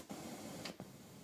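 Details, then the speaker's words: Blank cassette recording with Dolby C noise reduction engaged: very faint, soft hiss with a couple of small clicks, much less than the hiss without Dolby. "It takes the noise out. That's Dolby C. It's taking quite a lot of the noise out there."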